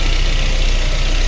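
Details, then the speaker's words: VAZ 21099 after cylinder head repair for lost compression in cylinder 4 (misfire), fully warmed to operating temperature, cooling system bled, idling on petrol (also ran on LPG): deep, even idle with smooth steady pulse, no stumble or miss; normal warm idle. "Ну ось і все друзі двигун повністю прогрітий до робочої температури система охолодження прокачена все чудово Ось так працює на бензи ні на газу також уже працював"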